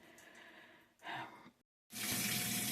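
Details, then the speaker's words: Whirlpool WTW4816FW3 top-load washer (bought July 2023, circuit board replaced three times): on drain and spin after a cycle left towels soaking, a faint hiss then steady rush of incoming water, filling instead of draining and spinning. "It's adding water, but it's supposed to be on drain and spin, but it's adding water. So the towels were left really wet, and I needed it to drain and spin, but it's not doing it."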